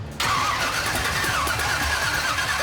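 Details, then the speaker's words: Cadillac hearse, freshly swapped replacement motor, electronic choke: starter cranks the engine steadily but it never catches or fires despite plenty of fuel; distributor is 180 degrees out of time; crank no start. "The new motor won't fire. >> No, it's getting plenty of fuel, dude."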